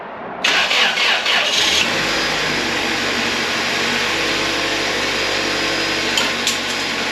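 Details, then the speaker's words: 1999 Toyota Tacoma 2RZ engine, bound for a 1988 Toyota pickup swap, after oil top-up and new OEM oil filter: brief starter whir, then steady even idle, no knocks or misses, oil light went off; normal start and idle. "oil light went off H nervous nervous this thing sounds pretty darn good I'm actually super pumped about that"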